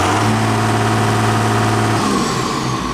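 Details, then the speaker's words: 7410 tractor diesel, new remanufactured turbocharger replacing one with almost 13,000 hours, briefly warmed up after start with puffs of black smoke: revving with a steady high turbo whistle over the engine note, dropping as revs fall; normal turbo whistle. "my ears have gotten to the point where I can't hear anything anymore but oh I can hear that turbo"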